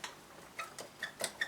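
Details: Motorcycle floating brake disc rocked by hand after a winter brake service cleaning the bobbins. Light, irregular metallic clicks show the normal free float on clean bobbins.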